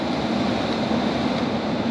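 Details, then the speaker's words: Flooded, abandoned Honda S2000 heater blower after replacing heater components: steady even whoosh and smooth motor hum on speed one, which previously did not blow at all; resistor confirmed as the fault, blower now normal. "oh yeah I mean that's blowing on number one yeah it wasn't doing this at all guys so now I know for sure the resistor is"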